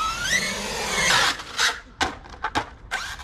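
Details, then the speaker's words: Traxxas Sledge RC truck under test: rising whine from the transmission with rough grinding bursts as it loads; the motor pinion had come loose and moved, so pinion and spur gear were out of mesh. "Vous entendez le bruit qu'il fait au niveau de la transmission? Ouais, là je cadre bien. Honnêtement. Ah ben, vous voyez, le pignon moteur, il s'est carrément barré."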